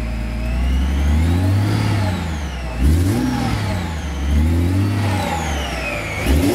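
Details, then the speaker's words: Subaru Tribeca 3.0 H6 boxer, new water-cooled VLC supercharger kit (240 to 340 hp), custom exhaust, cold: smooth even rev sweeps with faint supercharger whine; runs as it should, no warning lights. "nice boxer engine sound so everything runs as it should no aor lights nothing at all"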